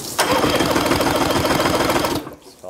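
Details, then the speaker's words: Used outboard on flush water during pre-purchase inspection: compression tester on cylinder one, lanyard pulled, fast idle lifted, cranking gives even steady beats with no skips; reads 120, other cylinder the same, passing compression. "Got this tester hooked up to cylinder number one. And then we'll crank it over and see what we get."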